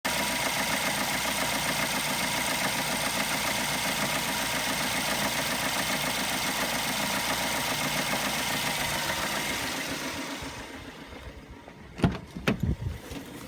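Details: BMW E92 LCI 318i at steady idle with a light, uneven rattle until shut-off: engine noise from a stretched timing chain.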